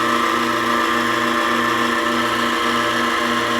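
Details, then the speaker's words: Vacuum pump after redesigned motor mounting plate, building vacuum to about 19 inches: constant motor whine with soft regular low pulse about twice a second; much quieter, no vibration, running normally. "it is so much quieter now no vibration we're starting to build some pressure"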